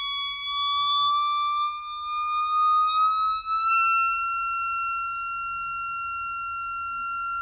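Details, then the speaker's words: Jensen V21 upper horn driver bench-tested on a Leslie 22H amp while the organ note changes: clean, pure steady tone gliding slightly upward, no buzz or rattle; the driver sounds good. "so in terms of the up of that that up a driver is this business sounding good yeah you're sounding good"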